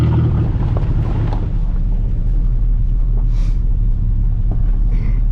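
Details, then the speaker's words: 2004 Ford Explorer revive-and-drive, worn bushings: heavy low rumble droning steadily throughout the drive with nothing sharp on top; loud droning noise, cause not pinned down. "all righty guys here we go this thing is a hog I'll tell you what"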